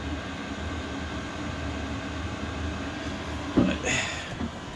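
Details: 5kW Chinese diesel air heater in a bus conversion, first use. Steady loud whooshing combustion roar with an evenly droning fan, no misfires or stumbles; running properly.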